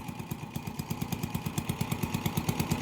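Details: Honda TMX 155 single-cylinder motorcycle idling unevenly with stumbling beats; hard starting, misfires especially uphill, no pull or top speed. Owner already replaced CDI without fix; spark spreads to side of plug, so misfire is from a defective spark plug.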